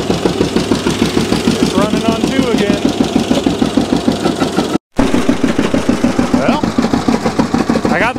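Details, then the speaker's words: John Deere G two-cylinder tractor after replacing the wet, non-firing cylinder's spark plug with new Autolite 388 plugs and new plug wires: even putt-putt at about 200 beats a minute, both cylinders firing steadily; running properly again. "this thing's back to running how it should have been"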